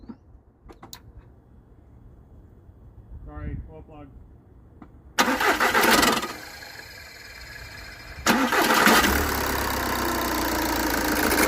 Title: VW 2.0 TDI engine scratchy/grinding noise